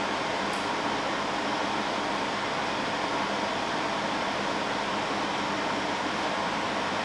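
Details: Dehumidifier in normal mode with auto swing and ionizer on: steady, even airy fan hum at constant speed, no rattle, tick or grinding; running normally.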